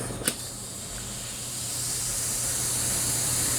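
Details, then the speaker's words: A 14-inch inner tube being inflated after the tyre slipped and sheared the valve stem. A steady, rhythmless hiss builds and holds as air escapes: the tube was pinched and holed during refitting. "Sounds like we got a hole. Somewhere we pinched it. Sounds like it's up here somewhere."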